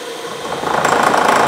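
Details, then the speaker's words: 1 HP Bridgeport R8 milling head on a converted planer, 5-inch face mill, roughing pass about 40 thousandths deep on hot-rolled bar: harsh rattling chatter at start from spindle too slow; faster speed cuts better. "I had a little chatter in the beginning because I was running a little too slow the funny thing with this thing the faster I push it the better it wanted to cut"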